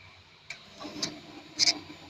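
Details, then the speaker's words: Kawasaki Z250 FI at idle during TPS adjustment: three sharp high creaky clicks about half a second apart over quiet idle; normal sub-throttle servo clicking. "Anda bisa dengar suara ini adalah suara dari eh dari sub Throttle eh servo ya ada bunyi kret kret kret kret Nah itu tadi itu adalah bunyi sub Throttle gitu"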